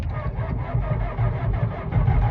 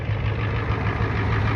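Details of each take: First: 1992 Ford F-250 IDI diesel, non-running, new glow plugs fitted, electric fuel pump on, in neutral: heavy, dragging, uneven crank that never catches; slow cranking, batteries suspected a touch low, to be charged. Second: 1992 Ford F-250 IDI diesel, non-running flip truck: deep, steady throb with even beat, no misses or knocking, turbo whistle audible; normal idle.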